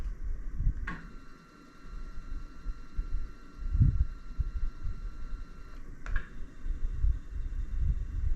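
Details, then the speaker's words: iOptron GEM28 telescope mount slewing at slow speed: faint steady high motor whine, minimal noise and no clunking, unlike the clunking at higher speed that coincides with failed RA guiding calibration. "noise is minimal."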